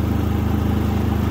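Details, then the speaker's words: New Predator 3500 inverter generator on first start, started then switched to run, economy switch off: steady, quick even putter with low hum, no misses or rattles; running smoothly and very quietly. "very quiet actually"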